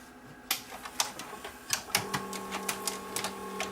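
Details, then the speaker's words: Panasonic PV-4361 VHS hi-fi VCR with shaking picture: sharp uneven clicks and short whirs as tape fails to rewind on eject and gets eaten; cause is bad solder joints on PUA3228 motor drive IC. "and that's the noise that the motor makes and of course it ate my tape again"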